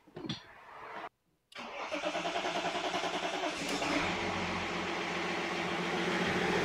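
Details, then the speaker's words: BMW E39 525d M57 diesel, first restart after fitting 530d bi-turbo valve cover and reinstalling injectors: starter cranks, diesel catches and settles into quick, even idle clatter; starts and runs properly. "bon déjà ça tourne bah écoutez ça a été dense pour moi"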